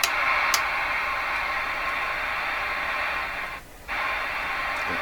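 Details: Johnson Messenger tube CB radio after replacing molded capacitors, tested on receive: steady even hiss, briefly quiet then returning cleanly with squelch; normal receiver noise.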